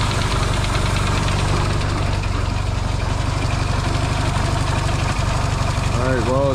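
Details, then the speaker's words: Yamaha XS650 twin reinstalled in frame, first start-up, warm: steady even idle with regular firing beat, no pinging, knocking or odd noises; engine sounds healthy, hoped to cure earlier oil-burning problem. "cool well it runs actually pretty good so it's quiet too no pinging or weird noises going on so that's a good sign"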